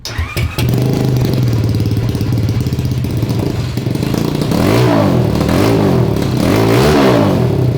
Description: We do have a huge problem with our home made yard kart killer- an unknown driveline clunk that makes the chain come off.